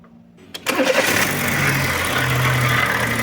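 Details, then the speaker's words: Fiat Siena 1.0 8-valve with A/C belt removed, noise persists: engine catches after short crank and settles into a steady run with dry whirring rumble underneath from the water pump; worn bearing with play. "Tirei a correia do ar condicionado e aí o barulho permaneceu. E o barulho, dá para ver, ó, ele tá aqui na bomba d'água."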